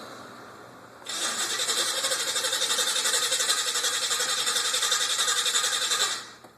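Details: El Camino hard start: about five seconds of fast, even cranking, roughly four beats a second, that stops without the engine catching; extended cranking, cause unconfirmed.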